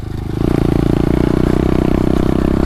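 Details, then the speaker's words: New 2018 SSR 125cc pit bike, freshly assembled, cruising at steady throttle. Buzzy, labouring note with a rough edge that never smooths out. The rider says it sounds like it's hurting and something is off; cause unclear. "but he things are so much fun sounds like it's hurting all the time sounds like something's off"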